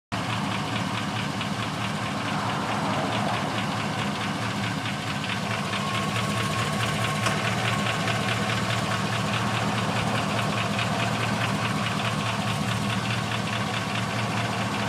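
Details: 2000 Chevrolet Suburban 2500 6.0 V8 after an oil change, idling with a light, quick ticking knock. It happens cold after a couple of minutes and when warm, then stops; owner suspects piston slap or a bad lifter, unconfirmed: engine knock or tick.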